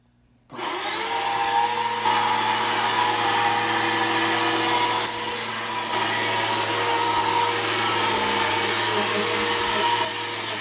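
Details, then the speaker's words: Bissell PowerForce Helix 1240 upright vacuum on carpet: steady high motor whine with a rough, gravelly edge; the brush roll bearings are going out, not the motor, and the brush roll needs replacing. "like I said the brush or is going to need to be placed really really soon uh you can hear the bearings are going out in it um not the motor the brush roll um the bearings are out in the brush roll"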